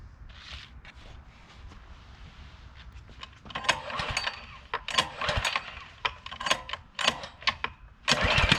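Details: Workforce pressure washer, 163 cc overhead-valve engine, carburetor found dry, choke off, air filter off: repeated rough rope-pull bursts about one per second with no catching; engine will not start.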